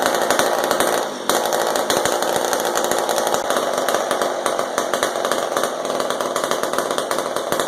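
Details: Old McCulloch Super 10-10 chainsaw, carburetor not disassembled; old fuel dumped and replaced, high and low needles adjusted. Raspy two-stroke revving steadily with crisp, even firing and clean response; it sounds pretty good and is running normally.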